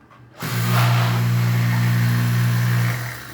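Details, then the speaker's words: Kärcher K4 Premium pressure washer, disassembled and running with water connected. The motor hums to a steady low drone with light pulsing but builds no pressure. Fault: no pressure and water leaking beside the shutoff. "I repeat the failure of this prison what it had is that it was throwing water at us here the part next to the shutdown and it no longer had pressure ok"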